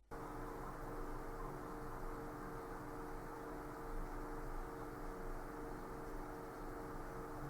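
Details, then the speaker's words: Cooler Master MasterAir Maker 8 CPU cooler under full Prime95 load, recorded by camera outside a case: soft steady whir with faint low hum, no ticking or rattle; fans running quiet and normal. "Portanto, esse é o som que é o ruído provocado por isto quando estava a correr o Prime 95."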